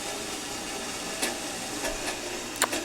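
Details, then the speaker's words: Mr. Coffee tea kettle filled to maximum, heating; quiet steady hiss with faint ticks, an odd noise of unclear cause while heating. "Making some noise. I don't know if you can hear"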